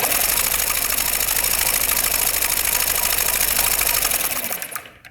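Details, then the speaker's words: 2007 Honda Metropolitan scooter cranking during a spark test after a kinked fuel line was found. A fast, even, rattly whirr at about three beats a second that then stops; the starter sounds tired and possibly about to fail. "Kind of sounds like the starter is about to go in here."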